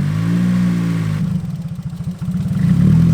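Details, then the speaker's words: Nissan Silvia S14 (EBISU) with HKS cams: idle sags into lumpy chugging for about a second then climbs back, hunting for steady idle; owners suspect a small vacuum leak, MAF also questioned. "See, she does have a little trouble idling. We suspect there might be a small vacuum leak somewhere."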